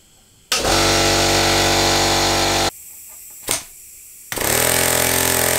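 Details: Homemade compressed air engine, running despite a leak, before adding a throttle: fast, even chuffing with a steady beat, briefly dropping then picking back up smoothly; runs fine.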